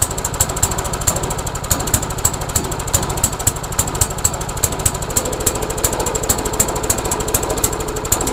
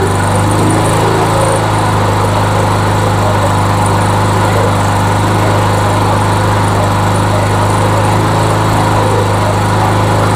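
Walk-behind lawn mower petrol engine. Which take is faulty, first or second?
first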